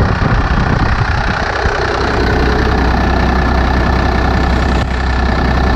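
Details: Second-gen 12-valve Cummins diesel with straight pipe, just after a preventative valve lash adjustment: loud, even diesel clatter at steady idle, no tapping or uneven beats; valvetrain healthy.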